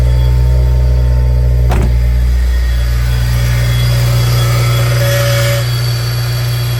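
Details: Cold start idle on a 2003 Honda S2000: loud steady idle with a constant spinning whine over the engine hum; owner suspects a failed tensioner or pulley bearing, fuel leak at injector rail also noted.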